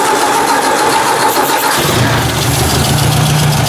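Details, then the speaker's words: Ford 800 tractor restarted after fresh oil and ultrasonic cleaning, with a non-working coolant temperature sensor: it catches after a brief crank and runs low and slightly uneven, stumbling and choking as it picks up. Owner suspects it may run better gravity-fed. "did a bit of choking there"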